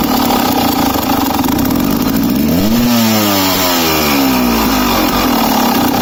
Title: KTM EXC 300 2007 running incorrectly/misfiring [Swedish]